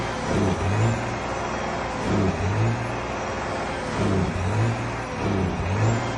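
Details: Detroit 12.7 diesel misfiring at idle: lumpy beat with a low thump swelling unevenly about every two seconds; the cause is not confirmed.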